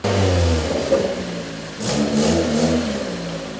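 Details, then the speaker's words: Toyota All-Trac after exhaust work so all exhaust now exits at the back: the engine revs up and down with a fairly quiet, even note and a slight tinny rasp. It is much quieter inside the car. Normal exhaust note. "a little quieter it's definitely way quieter sitting in here oh yeah that is so much quieter in the car"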